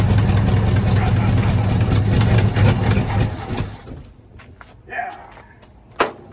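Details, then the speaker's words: 1972 Ford F100 that sat for decades, first start after freeing a locked engine: low lumpy chugging idle that sags and quits, barely holding idle; owner suspects a remaining vacuum leak; no brakes yet. "It idles. It doesn't run. Idles. Got a little vacuum leak somewhere still."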